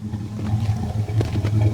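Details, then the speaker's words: Old carbureted petrol car cold-started in below-zero weather after sitting 3 or 4 months: low steady idle with an occasional misfire beat; owner says it needs a good carburetor; cause suspected. "You can hear it kind of having a little misfire here and there, but really needs a good carburetor."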